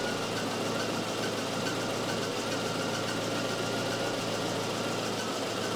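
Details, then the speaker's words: Volvo 244 idling during a Sun tester cylinder balance test: smooth, even idle with a steady low hum, no misses or knocks; per-cylinder RPM drops are very close (77, 87), so cylinder balance is good. Owner worried about the head gasket; that worry is doubted. "wow oh it's close it's really close that is impressive"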